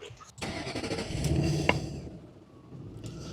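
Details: 2006 Ford Mustang V8 started after repair work was completed: a short crank, then it catches quickly and settles into a smooth, even idle with no misfire and no dash warning lights; a healthy start.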